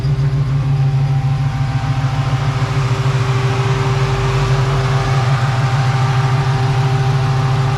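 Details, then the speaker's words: 1967 Chevrolet Nova V8 with an Edelbrock 302 Z28 intake, MSD ignition with CD box, headers, Flowmasters and an aluminum radiator: a deep, loud, lumpy burble at a steady idle with even firing and no knocks or ticks. Healthy idle. "So let me start it up for you guys so you can hear what it sounds like and its current form."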